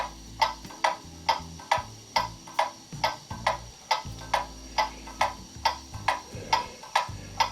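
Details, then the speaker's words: Levelled clock movement on a solid test stand, heard through a beat amplifier: crisp, evenly spaced tick-tock at about 69 beats a minute with identical beats; the clock is in beat. "there you can hear the movement is in beat i'll put the sound through a sound amplifier to make it easier to hear that is the even tick tock tick tock that you're looking for for your clock to be in"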